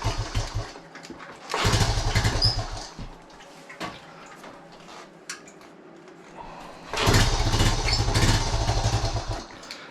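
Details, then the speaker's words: 1976 Honda Z50J1 Monkey, not started for a couple of weeks, cold and on half choke: sputters, surges, pops, backfires through the carb and wants to die; owner suspected fuel, then found the problem. "Just sort of, it sounds like a fuel related issue. It pops and splutters a bit and it backfires through the carb."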